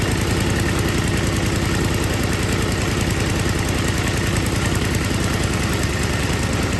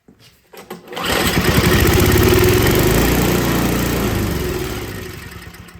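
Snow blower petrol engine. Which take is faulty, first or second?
second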